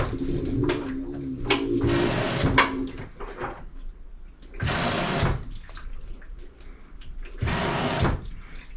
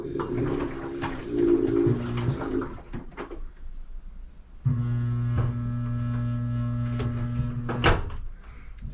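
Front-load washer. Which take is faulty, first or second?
second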